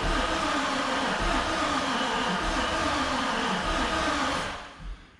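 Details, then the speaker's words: Chevrolet Silverado truck cranking after fix restored RPM signal to the computer: starter whirs evenly about four pulses a second for over four seconds, engine never catches, crank no start unchanged. "No, exactly the same as before. Great. Awesome. Excellent. Wonderful."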